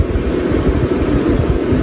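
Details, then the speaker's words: MaxxFan 5100K roof vent fan installed in a bus RV conversion roof hatch, switched from blowing in to sucking out (slows automatically, then reverses): steady airy whoosh with soft low pulsing, no scraping or ticking; normal fan operation. "If I want to switch it from blowing in to sucking out, I hit that button, slows it down automatically, and then it spins the other way."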